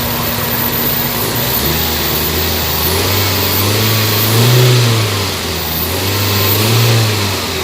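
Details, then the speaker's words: Toyota Vitz after fix for engine vibration in reverse and drive and low power, revved from the front: smooth petrol engine rising and falling through clean revs, no knocks or misses; pulls evenly, healthy. "Lalong lumakas yung under ng engine."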